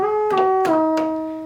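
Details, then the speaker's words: Vintage ARP Pro/DGX monophonic analog synthesizer, before restoration: a few notes on the bass voice sound thin and mid-pitched with no real low end; the unit also has crackling, scratchy pots, worn key bushings and a dead touch sensor. "that's the bass voice it sounds nothing like a bass"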